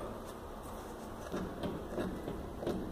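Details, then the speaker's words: Mitsubishi Pajero TR4 (one of the last built): suspension clunk on the passenger side after hitting a pothole, heard when pulling away and braking; dull irregular clunks as the wheel is rocked by hand, and the control arm bushing is found slipped out of its seat. "a bucha do braço da suspensão a ela destacou cassol tinha lhe agora o amor vou tirar roda fora e vamos ver o que"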